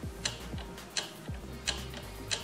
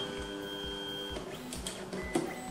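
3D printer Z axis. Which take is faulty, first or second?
first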